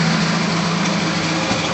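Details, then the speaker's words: 1966 Ford Bronco U13 roadster, 200 inline six, ignition and key cylinder recently replaced, electric choke carb; starts right up with no smoke; steady low rumble, even drone, no misses or knocks at idle. "Starts right up. It's not smoking at all."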